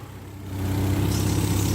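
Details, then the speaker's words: Mazda MX-3 with swapped KL 2.5L V6, Millenia intake and throttle body, after TPS plugged back in while setting timing and idle, fans off: settles from low murmur to slightly higher even idle, no hunting; almost right in spec. "we go fans are off and we're running about that's almost right in spec"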